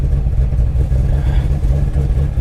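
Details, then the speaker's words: Chevrolet Camaro SS at a salvage auction listed as a non-runner: fires straight up into a deep, steady V8 burble with an even beat, no knocks or misses; healthy idle. "oh it runs yeah she runs and it's listed as a non-runner"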